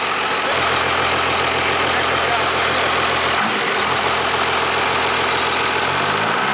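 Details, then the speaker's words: Cummins diesel swapped into a Cuda, first run with open exhaust (catalytic converters only, no muffler): loud, even clatter holding steady with a brief rev near the end; a smooth, healthy idle. "i was just thinking like how cool would be to have that sound here coming out of this body pulling a boat down the highway right"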